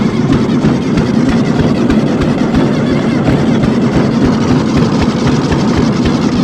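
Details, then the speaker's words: Riding mower engine being cranked after it bogged and spewed oil from the valve cover while mowing (owner suspects heavy blow-by): steady, even churning with no compression strokes and no firing; no compression, to be replaced with a Briggs & Stratton V-twin. "i'm gonna see if it starts out of curiosity if i can get it up near the garage i can at least look into it a little bit but i don't want to do much work on this thing there's no compression"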